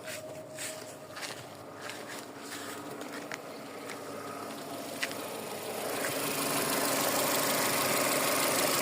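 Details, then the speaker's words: Car idling smoothly and evenly after an oil change, timing belt done in February at 233,000, no knocking; owner says oil consumption would make it run differently, so a healthy idle. "le moteur qui tourne rond"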